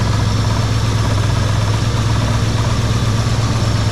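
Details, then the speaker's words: 1980 Chevy C30 dually V8, first start after 26 years sitting, still cold, uncleaned carburetor: steady idle with a loose, uneven rattle on top, about three a second. Owner suspects the battery bouncing in its box, unconfirmed. "I don't know what's rattling probably the battery bouncing in the battery box that makes sense"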